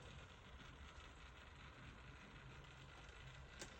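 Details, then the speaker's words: Hornby L1 model locomotive (2011) with Gaugemaster decoder, after service: faint steady low motor growl in one running direction only, silent in the other, despite oiling and greasing; cause unknown. "you can hear it growling a little bit it's funny because when it goes in the opposite direction you can't hear it so I've got no idea"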